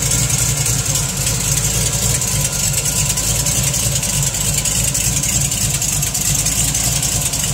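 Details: TVR Chimaera 400 with a Rover V8, idling steadily with a light, fast ticking about three to four times a second riding over the engine note. Engine ticking at idle.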